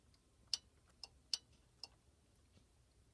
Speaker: Now, notice, when you hear it ringing, you also hear clicking noises from the PBX.